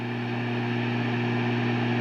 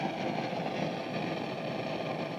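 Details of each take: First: Egnater Tourmaster 4100 tube half stack at high volume with no guitar, after replacing preamp tube 7 (the 12AX7 running the effects loop): the crackling is gone, leaving a steady low hum with a faint higher buzz, which is acceptable. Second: Egnater Tourmaster 4100 all-tube half stack with no note played: constant dense crackling and popping hiss like a flame in wind, traced to preamp tube number 7, the 12AX7 Groove tube running the effects loop.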